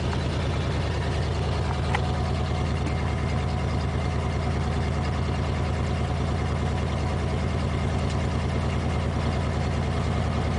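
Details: 1987 Ford F350, 351 Windsor V8, after a cold start following two weeks sitting: steady, even low rumble with no misses, knocks or ticks as it warms; normal idle.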